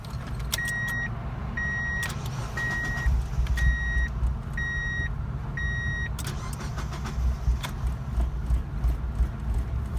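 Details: 1999 Mazda MX-5 Miata, hot engine on a 95-degree day with a new battery: warning chimes, then long cranking that won't catch. A new coil pack helped only marginally; a failing fuel pump was the cause, and a new pump and filter fixed it.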